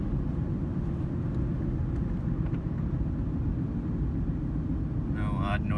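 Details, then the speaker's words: 2008 Ford Ranger XLT, 2WD, 5-speed manual, 147K miles, shifted into fourth around 40 mph; low, even road and engine rumble, no whine, clunk or grind, drivetrain quiet and healthy. "and go ahead and shift into fourth and he gets aired in around 40 miles an hour you can hear everything is very quiet"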